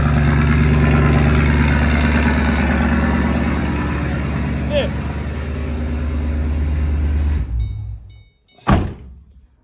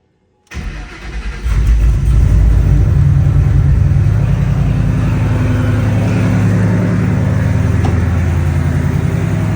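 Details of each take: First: S197 drift car, low on fuel, started and left to idle with the door open: steady, even low rumble at about three beats per second with no stumbles. It is already running a lot better; normal idle. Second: Ford Mustang S197 drift car started and idled during a coolant combustion-gas (block) test, before plug and oil change: cranks and catches, then lumpy, uneven idle with unsteady low pulse; rough idle, cause not confirmed.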